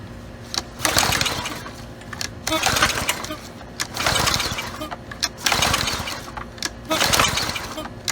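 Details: Brute Briggs and Stratton 550e pressure washer with kill switch unhooked to rule out grounding the magneto: repeated recoil pulls, raspy whirr, no firing, in midday heat; next step removing shroud and carb.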